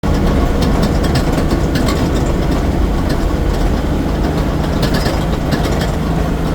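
A loud, low idle with a fast, uneven metallic rattle over the engine throughout; something is rattling but the cause isn't clear.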